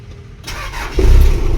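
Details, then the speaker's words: Toyota Mega Cruiser diesel, 24-volt system, which would not start: brief starter whir, then it catches within a second and settles into a firm, even diesel rumble; clean start. "Yun oh so andar na okay basic na basic ung problema"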